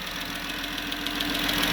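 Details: Jeep Grand Cherokee 3.6 Pentastar V6 at idle with light rapid top-end valvetrain ticking over a steady hum, not a deep knock; rocker arm fault suspected, camshaft possibly broken, unconfirmed before repair.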